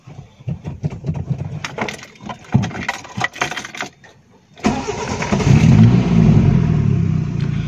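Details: Car with voltage stabilizer, big 3 ground upgrade and cabin voltmeter: after handling noise the engine catches at about 4.5 seconds and settles into an even steady idle, alternator charging around 14 V, a clean healthy start.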